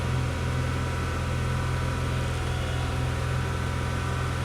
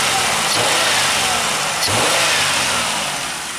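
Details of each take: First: 1995 Pontiac Grand Prix SE just restarted after IAC plugged back in and intake tube reconnected: steady engine drone held at raised speed, no dip or hunting; idle really high, owner hopes no calibration needed. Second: 1995 Pontiac Grand Prix SE V6, 86,000 miles: two quick clean revs settling back, no knocking, ticking or misfire; engine sounds healthy.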